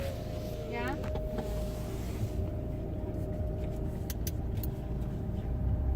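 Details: 2018 Chrysler Pacifica Hybrid, engine running as generator: loud steady mid-pitched whine over engine hum that cuts out while the engine keeps running; cause unknown.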